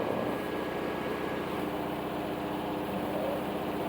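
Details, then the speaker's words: Haier HW80-B14979 washing machine spinning at 1200 rpm: steady high-speed roar with a fine rattling buzz, mostly caused by the rear drain hose pressing against and vibrating on the cabinet. Owner plans to reposition the hose. "Most of the sound, believe it or not, the noise, it's not made by the actual machine, but the way the water hose is placed in the back. It somehow touches the washing machine, and this is what it causes"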